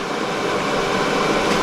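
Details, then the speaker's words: EcoFlow Delta 1300 portable power station charging: cooling fans kick on and run hard with a steady, loud airy rush, no rattles or pulsing; normal charging fan noise. "i left this thing plugged in one night and just woke me up at two in the morning because it kicked on and then fan noises just blew up so so that's what it sounds like when it's charging"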